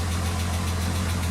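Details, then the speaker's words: Mk4 VR6 (Jetta/Golf/GTI) idling after power steering pump replacement and fluid top-up, original line kept; smooth, steady idle with no groan or whine from the pump. "so I added fluid and makes no noise feels a lot nicer"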